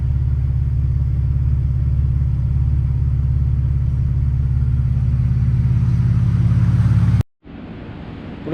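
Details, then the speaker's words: VW VR6 12V, engine built 9 years ago, reassembled after teardown (missing piston oil nozzle, cams and lifters done): deep rumble with light, uneven knock two to three per second; owner suspects piston slap, unconfirmed. "so we put everything back together just this last time and uh I have what sounds like piston slap"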